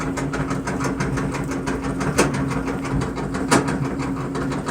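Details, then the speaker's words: KitchenAid Superba gas dryer, empty drum running: low steady hum with a sharp thump about once a turn from a worn drum support roller, later replaced and quieter. "my KitchenAid gas dryer is making a terrible sound when I turn it on so I'm going to try and tear it apart and see what's going on inside but first the"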